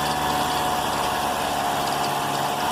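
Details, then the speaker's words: Thin, high chirp over a steady idle from the front of the car engine, like a cicada; owner suspects a plastic part touching the serpentine belt or a faulty alternator bearing; a 13 mm wrench is then put on the alternator bolt. "esse barulho barulho é semelhante uma cigarrinha um barulho no motor do carro pode ser esse plástico que esteja pegando na correia pode ser o alternador com rolamento com d um rolamento alternador com defeito"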